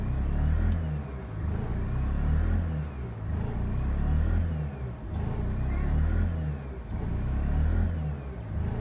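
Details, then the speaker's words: Mazda RX-8 rotary, check engine light flashing, after shooting flames and overheating: with throttle held, engine surges and sags every ~1.5 s, stumbling and unable to hold revs; later regains strength; owner suspects blown apex seals or head gasket. "so right now i'm holding the gas down and this is what it's doing if the car wasn't done then i think it is done now"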